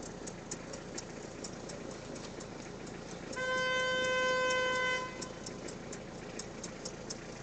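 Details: Peugeot 306 at idle: quiet idle carrying an even tick about four times a second, briefly covered by a horn blast; abnormal engine noise, diagnosis still in progress.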